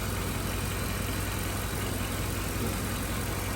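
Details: 2011 Mercedes-Benz GL450 V8 after A/C compressor serpentine belt replacement and oil filter housing seal repair: steady, even idle with smooth low rumble, no knocks, ticks or belt squeal; healthy.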